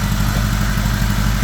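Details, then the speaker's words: 1975 Honda GL1000 Gold Wing flat-four after water pump reseal with new gaskets and O-rings, running to warm up: smooth, steady low idle, even pulse, no clatter or misfire, no leaks. Normal idle. "But, I'm happy. I don't see any leaks. Right now, it's sounding pretty good."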